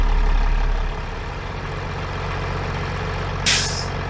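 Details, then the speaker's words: Flatbed truck diesel idling while building air after fitting a new air dryer and canister (old one leaked at the bottom): sharp hissing pop as dryer purges at cut-out around 110-115 psi; normal, no leaks. "all right you just heard it pop and that's what it's supposed to do it just reached uh about 110 115 psi and then it popped"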